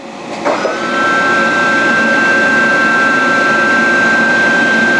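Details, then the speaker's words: Dainichi Model H lathe (DC drive) doing rapid traverse moves. Steady, even motor hum with a clean high whine that holds flat, no knocks or grinding: normal, smooth rapid traverse. "okay now we're going to show you some rapid moves with this machine works really well"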